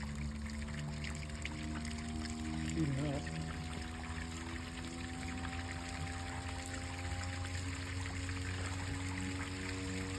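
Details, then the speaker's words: Replacement solar residential submersible well pump test-run fully submerged in a pool, normally about 300 ft down: steady, even motor hum under splashing water, no knocks or grinding, pumping well; a leak elsewhere is suspected. "that think's fully submerged right I think we just hear it so good cuz it's usually 300 ft in the ground"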